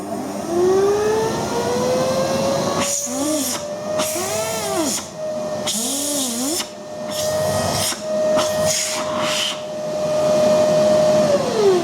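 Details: Philips vacuum cleaner after the motor bearings were replaced and the armature turned on a lathe: the motor spins up to a steady, clean whine with no rumble, rattle or grinding; it earlier droned and shook.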